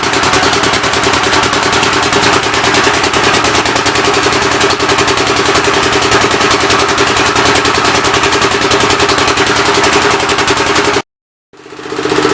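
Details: Rebuilt engine on its first start attempt, with temporary ignition and fuel fed by hand: coarse chuffing at about three beats a second until it cuts out, running rough. The intake valve seems to be leaking; the plan is to pull the head and lap the valves.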